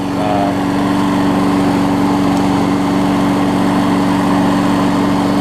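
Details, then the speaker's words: 22-year-old 5hp Briggs engine on a 2014 Weed Eater push mower deck, after cleanup. Holds a steady, even buzz at constant speed with no misses or knocks; still runs great. "It's hard to believe that the engine on this thing's 22 years old and still runs great."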